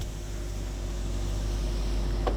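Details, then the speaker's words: Range Rover L322 after one-touch window reset: steady motor hum as the glass runs down on one touch, then a soft click at the end; window works normally. "window goes down on its own comes back up on its own"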